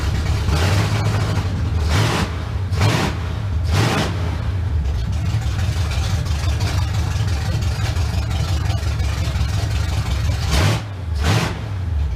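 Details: 1971 Chevrolet Camaro V8 after sitting nine years, first start with known-good carb and fuel at the pump, car still off the ground: deep even rumble at steady fast idle, regular firing, no misses or knocks; running cleanly.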